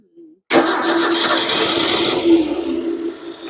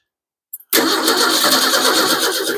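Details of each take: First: 1953 Ford 4x4 old engine, cold start at about 38 °F, gasoline gravity-fed to the pump and no radiator fitted: cranks a while until fuel arrives, then catches and settles into a steady, even idle; normal start and idle. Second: 1953 Ford 4x4 with carburetor, choke set: engine catches hard on cranking, runs roughly under two seconds, then dies abruptly; probably needs gasoline, as it was expected to run out after last use.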